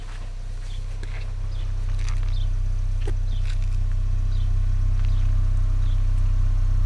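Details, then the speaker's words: 2024 Ford Maverick XL AWD 2.0L EcoBoost idling, microphone about 10 in from the exhaust tip: only a soft, steady low hum with even pulses and no puffing or ticking, so quiet a coworker thought it electric. Normal quiet exhaust at idle. "and I had a coworker tell me that my truck was so quiet she thought that it must be electric and wow it is very quiet back here so I'm going to hold this really close to the exhaust with the truck idling"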